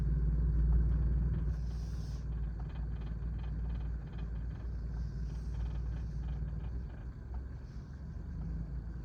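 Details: Turbocharged engine at low idle with a faint, fairly even rattle about four times a second, present only at low or idle speeds. Owner suspects a loose wastegate flap but is unsure. Engine rattle at idle.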